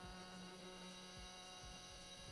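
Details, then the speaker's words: Stepper motor on A4988 driver in full-step mode with square-wave pulses; harsh, buzzy hum with rough vibration that the frame amplifies, far uglier than quarter or 16-microstep modes. "I start applying pulses first with the full step configuration and this is the signal on the scope a square wave and this is the sound that it makes quite ugly right"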